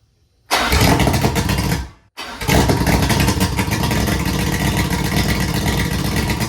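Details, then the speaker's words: 2003 Yamaha 225 Vmax two-stroke outboard on a Triton TR20, key start on bad fuel after compression tested 120 on five cylinders and 115 on one. It fires instantly, dies briefly, then catches and settles into a steady, lively run. Starts and runs fine, though still needing major maintenance. "there you go YouTube it runs now we just need to do a huge maintenance on it"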